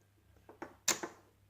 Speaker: look at that no power to the relays but there's power to the fuses must be the supply line is failed